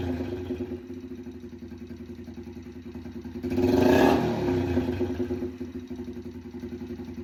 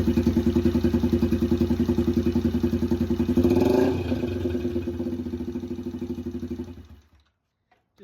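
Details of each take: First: Yamaha TTR 90 just after top-end rebuild with new piston rings, first minutes of running at idle with no exhaust fitted (straight pipe): small single loping about four pops a second, a quick rev blip, sharp popping; backfire from open exhaust. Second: Yamaha TTR 90 single after top-end rebuild, short electric-start test run because of the oil situation; catches and settles into a steady, even putter, then shuts off; normal start and idle.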